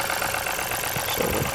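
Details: Geely Binrui idling with irregular tapping knock over the running note, with P0017 fault codes being fixed; cause not confirmed.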